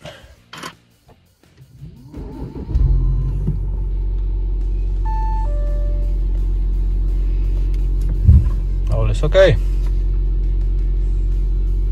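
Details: 2014 Audi A8 D4 3.0 TDI facelift after fixing water in the plenum chamber and changing the fuel filter, system primed by pump: after a few cranks the engine catches and settles into a steady low even idle with no stumbles; starts without issues.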